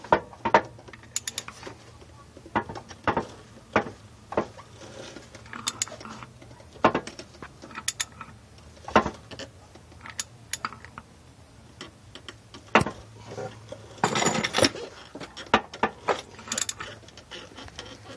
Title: Ls1 engine knocking noise.